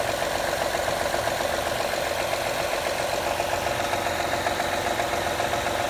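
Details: 2013 Honda Accord EX-L V6 at idle during a cold-weather warm-up, which happens every time: a steady, rapid clapping tick over the engine about twice a second. The cause is not identified.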